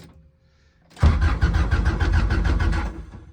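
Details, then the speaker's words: Zero-generation EG Civic hatch build, first crank with no ECU fitted and probably no fuel: steady even starter cranking with regular compression beats about six a second that never catch; cranks fine, normal, no start. "It cranks. That's good. Now I just gotta put an ECU in it, probably put gas in it, because I know there's no way it has any gas in it."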